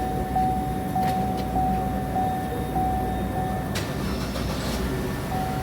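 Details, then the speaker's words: 2012 Chevy Cruze that shut off in gear with intermittent CAN bus communication loss: after tapping the fuse box restored 12 V, it starts and idles steadily with a chime; a power feed issue into the fuse box is suspected. "So car started, we're good to go again."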